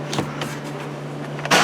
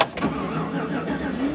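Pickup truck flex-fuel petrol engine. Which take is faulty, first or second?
second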